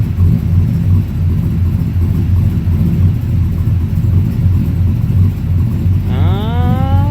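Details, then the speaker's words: 2004 Dodge Ram with an LS swap and a 5-speed manual: a deep, uneven, loping idle at about three pulses a second shakes the whole truck, and it hesitates slightly on the first throttle kick. Then a rev climbs cleanly. "Man, when I idle it down, it kind of shakes a little bit. I'm sitting here with the phone still and it's shaking. Whole truck's shaking."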